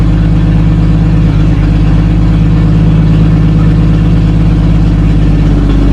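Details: 1937 Talbot saloon 3.2-litre six-cylinder engine, laid up since the mid-1970s, with fresh oil, ignition repaired and fuel system temporarily bypassed, settles into a steady, even low idle with a soft regular beat.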